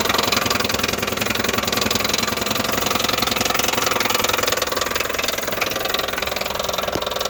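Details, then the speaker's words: Chevy Impala engine: running with a fast, fairly regular knock, roughly three or four a second, clearly wrong; engine believed toast, exact cause unclear. "started it up already dude very unspecial noises coming from this thing dude"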